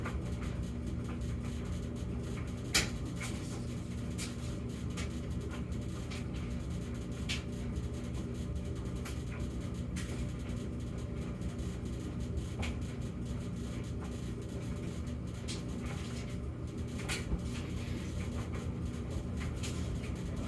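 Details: Samsung gas dryer in a normal stretch between intermittent high and low humming episodes: steady low tumbling rumble with occasional light clicks and bumps, no hum.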